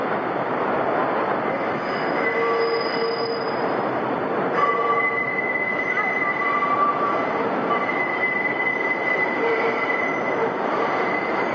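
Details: NYC Subway northbound 5 Train entering 149th Street–Grand Concourse station: shrill, wavering wheel squeal over steady rail rumble as wheels grind against the rails on the sharp right turn just before the platform.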